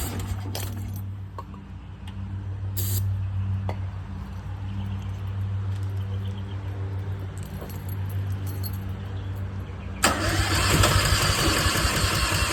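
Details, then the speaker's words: Westinghouse 20,000 W portable generator, battery start with starter fluid: low, fairly even chug of about four beats a second but never catches; fuel line found clogged with no fuel coming out; cranks but will not start. "So, you see I've been trying to crank it, put a little starter fluid in it, it tries to run."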